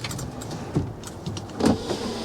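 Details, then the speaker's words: Truck sitting about 10 years: power window motor whirs in short, labored runs with dull drone; glass moves slowly but works, other window also slow. Slow power window. "Yes. It's a little slow, but that one's a little slow too, but it works."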